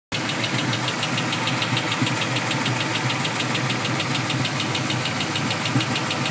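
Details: Cobra engine at steady idle with a fast, sharp metallic ticking riding over it; something is abnormal but the cause isn't clear.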